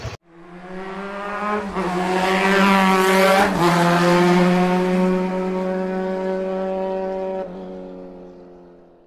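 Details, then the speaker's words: Honda Click 125i scooter, first CVT cleaning; owner finds the noise abnormal though mechanic called it natural with parts needing replacement: loud steady humming drone from the CVT on throttle, fading when closed; loud CVT noise, cause unknown. "Sobrang ingay, di ba? May mali talaga. Ano kayang problema nito?"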